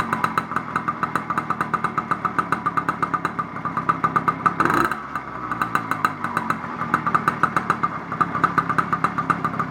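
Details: 80cc China Girl two-stroke bicycle engine with the white magneto wire under load (light) so it sparks; crisp, even popping at about six beats a second, steady with no misses; idling cleanly.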